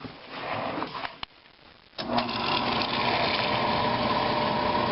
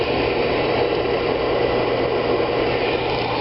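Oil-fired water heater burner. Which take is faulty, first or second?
first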